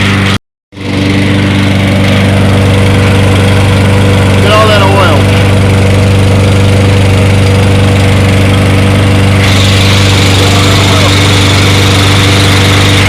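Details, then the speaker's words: Toro 22-inch Recycler mower after reassembly, burning off excess oil: steady, even single-cylinder putter at about four beats a second, no surging or misses; normal idle. "i'm gonna let it run let it burn it off got a lot of oil look at this thing holding a steady idle"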